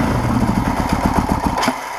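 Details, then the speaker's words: 1980 Kawasaki KZ440 LTD after rebuild, fuel fed from a makeshift setup, starting fluid sprayed in with some choke: uneven, lumpy surging that dies back; running on the spray, not its fuel. "listen to that it's not running on the fuel it's running on that"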